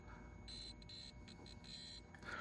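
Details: Williams System 11b Black Knight 2000 pinball lamp matrix, probed after a transistor swap. The logic probe's high tone chops on and off in a quick irregular pattern, so the strobe line that was dead before is pulsing and working again.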